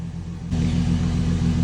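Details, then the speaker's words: 2004 Chevy Silverado 4.3L RWD running after a crank-no-start was fixed: distributor cap corrosion causing weak spark was the cause, and excess fuel was cleared. It settles into a steady, even low rumble with no misses or stumbles. "Now she's running a lot better that we cleared all that fuel out or whatever. See, I can rev her up and she catches just like she should, like she's running great."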